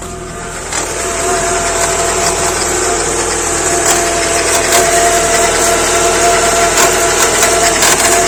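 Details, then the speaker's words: Peugeot 406 that would not start, just after the engine control unit was replaced with immobilizer disabled. Engine catches and settles into fast idle with a harsh raspy rattle. Owner suspects the compressor, cause unconfirmed. "3 d 1 w pali ale coś tam coś tam rzęzi"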